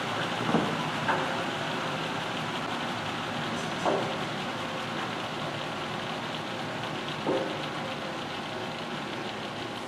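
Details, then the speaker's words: Chip/dust collector after full rebuild with belt-driven impeller: steady even blower rush with chips ticking up the pipe; runs much quieter and smoother than before. "as you can see it runs a whole lot quieter a whole lot smoother"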